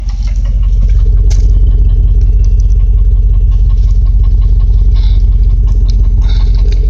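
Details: Land Rover Discovery idling warm after 30 minutes of running without overheating: steady idle with a quick, regular tick of almost three per second, described as a knocking sound; exhaust manifold leak.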